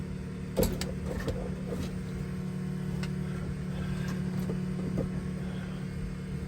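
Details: Blown 1957 Chevy Gasser on its first start after an oil change, once oil pressure was built, burning off oil. It settles into a steady, even low drone with light clicks and idles normally.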